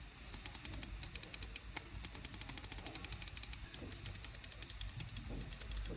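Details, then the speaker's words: irok HE6 Ultra mouse with Omron optical switches: crisp, sharp clicks in quick runs over near silence; normal optical switch sound. "Obviously, these are Omron opticals and they sound just like Oman optical."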